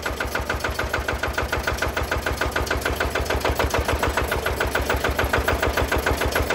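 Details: Single-cylinder Lister diesel on a Benford TS25 radial swing concrete buggy, hand-cranked for the first time with the compression valve open, then the valve closed; parked, neutral. Even, steady thump about three and a half times a second, no misses or knocks; runs healthy.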